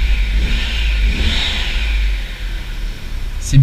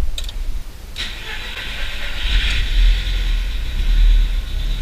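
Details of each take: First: Audi TT MK1 with the faulty ignition coil identified: revs rise and settle cleanly, turbo sounds rounder and cleaner, no more stuttering climbing through the revs, pulling linearly; a remaining whistle possibly from the disturbed boost system. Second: Audi TT MK1 under restoration, first start after reconnecting the battery: cranks, catches, then slightly uneven idle with a knocking tick from one area; owner suspects a failing ignition coil.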